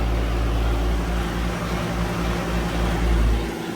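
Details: 2015 Carrier Comfort 4-ton heat pump damaged in a fire, no longer cooling, starting up: heavy low hum with uneven throb about four times a second; running abnormally, suction line only slightly cold.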